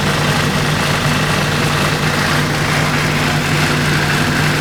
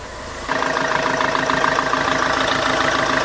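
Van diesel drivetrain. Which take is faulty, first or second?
first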